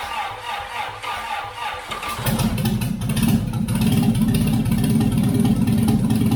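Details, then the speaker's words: Long-unrun Austin-Healey engine test-started with gas squirted into the carbs and an old Sprite oil gauge fitted; no fuel tank, so no throttle. It cranks briefly, then settles into a steady, even idle with no knocks or misses, a normal start. "I don't know when this engine was started last, but it's been a while. Sounds pretty good."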